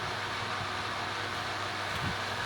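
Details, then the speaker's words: Inverter board fan after repair, tested on homemade bench gear at 99% duty cycle, supply 216 V at about 50 Hz: smooth, even rushing whoosh with steady pitch, no rattles or bearing noise; fan running normally at full speed. "216 V a frequency of about 50 Hz and the fan is spinning at full speed even if you can't see much maybe you can hear the wind blowing and we are at 99%"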